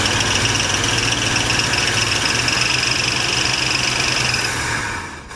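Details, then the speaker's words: 1976 Mercury Marquis 460 big-block V8 held at raised revs on starting fluid with choke set: fast steady note with sharp top end; runs only with fluid, so fuel delivery is suspect; needs parts. "Well, we know it runs and we know we need a bunch of parts."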